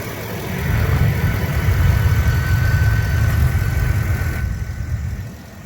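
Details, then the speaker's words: 2009 Mercedes-Benz S550 4Matic W221 after replacing the chirping upper idler pulley: smooth even idle, low steady rumble, no squeak or chirp from the belt side; normal idle after repair. "this is the after and it is running smooth thank god"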